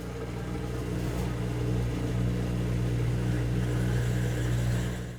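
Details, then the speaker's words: High-efficiency washer in the drain phase: low steady pump hum with a slow, rhythmic cyclic surge as the drain pump pulls a mix of air and water while the level drops; normal drain pump gurgle. "As the water level drops, the drain pump might try to pump out a mixture of air and water, creating a different noise that becomes cyclic."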